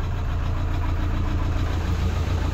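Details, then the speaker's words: 2013 Toyota Hilux 171 hp KD diesel, injector communication and rail pressure faults after washing, weak battery: lumpy uneven idle with heavy repeating stumble, fourth injector unplugged and engine catches; misfire from faulty injector, later replaced with new original. "ó desliguei o quarto bico o carro pegou"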